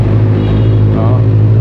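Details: Used Benelli 600 motorcycle, four-cylinder, 2014, about 12,000 km: deep steady hum with even pulse, no knocks or rattles; engine runs smooth and healthy.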